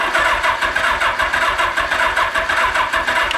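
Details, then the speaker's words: Suzuki GS850G motorcycle revived after sitting, carbs and coils just refitted, on a small battery with points uncleaned and spark unchecked: four-cylinder runs unevenly with a loping gallop on starting fluid. Owner unsure it has spark; rough running. "it's got a little bit of a Gallop I don't know if I have spark"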